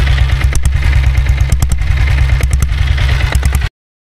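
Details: Royal Enfield Bullet motorcycle converted to diesel: deep, steady single-cylinder diesel thump at a slow, even beat with light valve clatter on top. Normal idle.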